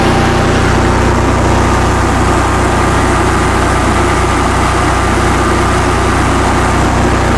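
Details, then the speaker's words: 2015 Cummins Power home standby generator, Briggs Vanguard engine, after rotor repair, warming up on a load bank at 3 kW, about 40 A at 240 V, 60 Hz: steady drone at constant speed, no knocks, misses or hunting. Running healthy under load. "thing is quite quiet when it's running. Turn the load bank on, fans are going. Let's warm it up. We'll put 3 kilowatts on it."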